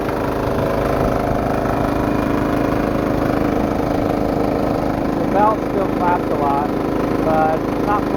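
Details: Homemade diesel air compressor, new belt on an unworn painted pulley, test run at full throttle while warming: steady diesel chug with loose, uneven slapping about one and a half times a second, the slack drive belt flapping.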